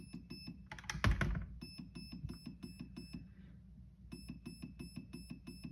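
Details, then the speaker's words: Perun V2 hybrid MOSFET in program mode: a trigger-pull click, then five quick high beeps indicating pre-cock setting 5 of eight. "okay so those are five beeps that means that we're in setting five for pre-cock"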